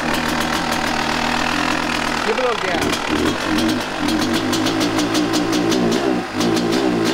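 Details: 1998 Kawasaki KX250 two-stroke, rebuilt but running poorly, before repair, started on held choke: idle hangs high and wanders with throttle shut; air leak suspected past crankcase seals; high idle.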